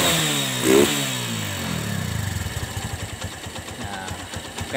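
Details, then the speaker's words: Honda Megapro Primus motorcycle kick-started (battery weak, electric start failed), catches with a quick rev then idles smoothly with a steady putter; engine itself healthy, fault was poor fuel flow from dirt causing stalling and hesitation. "teman-teman ini sudah nyala mesinnya juga mesinnya juga halus ya teman-teman Nah tidak ada tidak ada kendala di bagian mesin"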